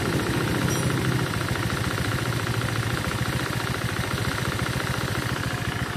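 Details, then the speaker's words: Honda Vario scooter that burns and leaks oil, run with the CVT removed, recorded close to the engine: a steady rapid knock about 3.5 per second under the idle. Bottom-end knock from the crankshaft or conrod area, not yet confirmed by teardown. "Iya kan, jelas sekali suara entah shaker entah stang. Intinya pada area kruk as, stang dan shaker."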